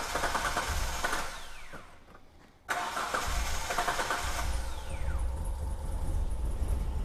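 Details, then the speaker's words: 2003 Hyundai Terracan, V6 petrol: engine cranks and catches, then settles into a slightly uneven, lumpy idle with an irregular beat and shaking; constant misfire, likely one cylinder, cause not yet confirmed (possibly a coil). "i can definitely feel a constant misfire maybe one cylinder only"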